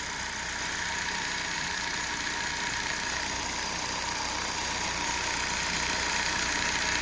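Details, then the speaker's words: Small engine at idle with the engine management light on: light, even metallic rattle from the front. Owner suspects the timing chain, which these cars are known to jump, but the cause is unconfirmed. "so yeah we have definitely got a bit of an issue engine management light is on a little bit rattly I don't know if that's"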